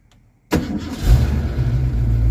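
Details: 1982 Ford Mustang GT with slow hot-start and no-restart problems, after finding an unconnected collapsed wiring connector: brief crank, then catches almost at once and settles into steady idle; starts easily.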